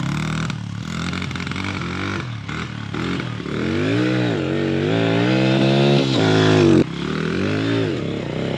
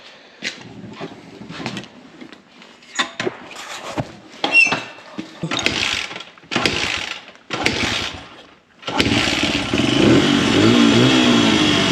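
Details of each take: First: Honda 100 small single with its old carburetor revs unevenly and sags under throttle coming out of corners, then cuts off, bogging and gutless; owner hopes an aftermarket Amazon carburetor fixes it, cause unconfirmed. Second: Honda 100 pit bike (possibly CRF100F) just fitted with a discount Amazon carburetor: a few failed cranks, then it catches and settles into a steady, even single-cylinder run with no misses or knocks; needs slide adjustment but running way better.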